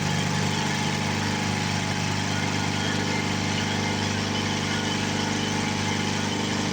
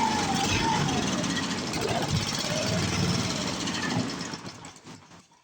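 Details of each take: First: 7 hp Briggs & Stratton single, revived after 15 years in a shed, bolted to a board: steady, even beat holding constant speed throughout, no knocking, hunting or smoke; running properly. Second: 7 hp Briggs & Stratton single, sat in a shed 15 years and removed from a log splitter because it wouldn't stay running: fast choppy putter for about four seconds, then sags and dies as if fuel-starved; owner suspects the carburetor needle stuck closed.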